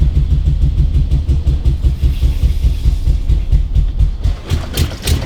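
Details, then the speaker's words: Lifted 2000 BMW 740i (E38) V8 at first start after the build, while leaking transmission fluid: low, uneven chugging that never smooths out. It runs rough because an engine computer connector was left unplugged. "oh no she kind of chugged too huh [Music] yeah it's super pissed about something"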